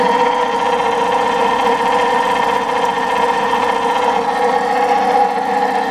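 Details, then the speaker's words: 20 hp electric motor, long stored in a barn and greased, started on a rotary phase converter: steady hum with rough buzzing mid-pitched whir; owner suspects worn bearings. "Hey, it's running! oh the bearings don't sound very good like I said, I greased it"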